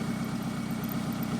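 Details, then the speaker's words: 2002 Toyota Camry, sat over 5 years, running cold after repairing cut coil pack harness and blown fuse: steady, even low idle with smooth regular pulse, no misses or knocks; normal idle. "It's cold. Yeah, it's like snowing in the panhandle of Florida. But anyway, yeah, she's running."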